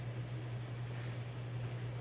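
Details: 1982 52-inch Hunter Original ceiling fan #22822, Reverse-Aire brackets, capacitor three-speed conversion, on high at about 180 RPM on downdraft. Smooth steady low hum with faint airy hiss, no ticking or wobble; normal running.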